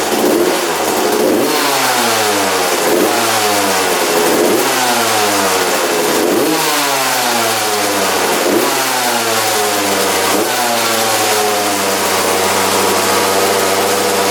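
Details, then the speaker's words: 1993 Suzuki RM125 two-stroke dirt bike, freshly rebuilt, fouling plugs: repeated throttle blips, revs sagging back lazily to a burbly idle; crisper with fuel tap off, owner suspects carburetor running very rich. "all right so I kept on turning on and off the gas and you can definitely hear the difference between the throttle response when the gas was on and off it was a lot crispier with the gas off"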